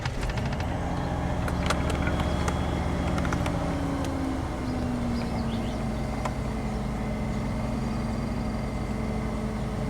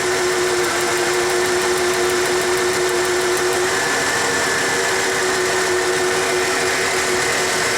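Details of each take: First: 1994 Ford F150 cold start after new spark plugs and reconnected EGR vacuum lines, codes cleared: fast cold idle settles smoothly with slight whine, no misses or knocks, open loop; normal cold idle. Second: 1994 Ford F150 with new spark plugs and EGR fixed, cylinder drop test on number 6, compression good: engine runs with faint uneven lope; partial misfire, number 6 injector flow suspected.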